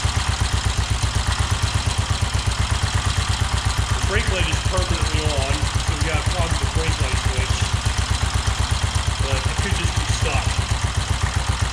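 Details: 1969 BSA Starfire single, first run in over 15 years, with a new carburetor cable, possibly 5100 miles; steady, even thumping at about four beats a second with no misses or knocks. Normal running.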